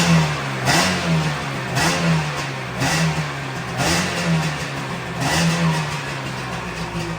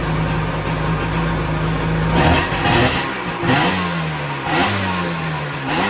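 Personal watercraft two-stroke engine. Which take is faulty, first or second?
second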